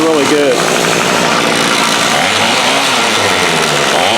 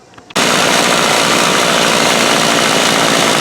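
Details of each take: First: Remington Rustler RM2510 25cc two-stroke trimmer, reassembled after starter work: high buzzy note climbs and falls smoothly with throttle, even revs, no stumbling; loose starter cord heard flapping inside; engine runs healthy, starter assembly poorly built. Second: Remington Rustler RM2510 25cc two-stroke trimmer at high revs: harsh rapid buzz with fast rattle from a loose cable flapping inside, loose piece on the end; engine runs well, cheap starter assembly faulty.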